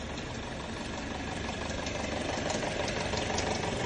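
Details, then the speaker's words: Geely Coolray (BHE15-EFZ engine) at 22,000 km idle: fast fairly even light rattling tick, about three per second, over the engine; timing chain rattling, chain replacement. "Застучала цепь, да, параллельный импорт, поэтому дилер не берётся."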